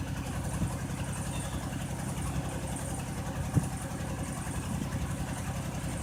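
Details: Buick with a bad misfire at idle: low, uneven idle with irregular stumbles and an odd thump; needs new intake gaskets, coolant has mixed with the oil.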